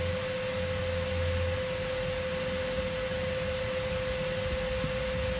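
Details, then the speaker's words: Empty Zanussi SD 2811/W spin dryer at full spin with the lid latched: a steady quiet hum and a clear constant whistle from the drum, with hardly any vibration and no knocking. Normal spin. "let's hear the whistling inside God that is very quiet hardly any vibrations on it I know it's empty but still"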